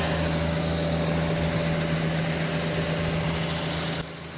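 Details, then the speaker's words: Old engine in a restored, time-capsule original car idling with a steady low purr and even beat, no knocks or misses, no smoke; it settles slightly quieter. Normal idle. "oh my lands listen to that [Music] [Music] purr oh my land oh baby baby [Music] no smoke"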